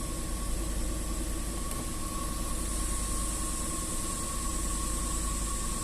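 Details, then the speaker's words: Range Rover 4.2 supercharged V8 that shook and misfired cold (low compression on cylinders 7 and 8, supercharger knock), cold start after repair work: steady, even idle with a faint constant whine, all 8 cylinders running evenly with no faults. "значится все 8 цилиндров запускаем пока по нулям работает ровно"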